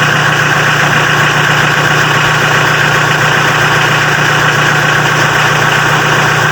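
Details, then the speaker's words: Mitsubishi L300 diesel started cold after repair of its heater (glow) system, which had made cold starting hard: it now starts easily and settles into a steady, even diesel clatter at idle with no misses or surges. "Nah, di sini setelah dilakukan perbaikan pada sistem pemanasnya, mobil L300 diesel ini pada waktu posisi dingin sudah mudah dihidupkan."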